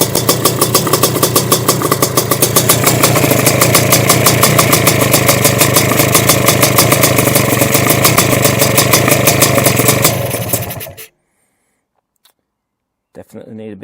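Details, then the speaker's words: Sledgehammer 333 two-stroke, first start on second kick, on Castrol Power One at 3% premix: rapid, fairly even popping holds about ten seconds, then fades and dies; owner withholds throttle and suspects it may be flooded; idle set too low, stalls. "I don't really want to give it any any throttle because I don't want to flood it. It might already be flooded to be honest."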